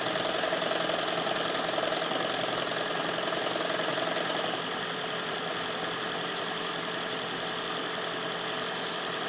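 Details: 2010 Toyota Prius, 4,750 miles, garage-kept, cold start at about 32°F: engine knocks about three times a second and shakes, then runs normally after 30–45 seconds; cold start engine knock.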